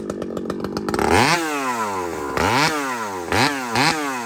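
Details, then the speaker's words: Chainsaw (a 395) with 3/8 chain cutting a cedar log revs high and keeps screaming through the cut without pulling down under load; chain not biting because the depth gauges (rakers) are too high. "oh yeah you're you're way up there brother okay this is your problem guaranteed on anything this thing"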